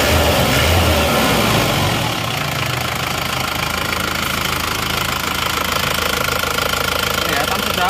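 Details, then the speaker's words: Isuzu Panther diesel after rings and liner work, hot after a 5 km road test: even idle clatter with a steady beat and no stumble or extra knock; engine sound is normal. "Oke sudah kita tes di jalan 5 km kalau panas asapnya seperti ini suara mesin"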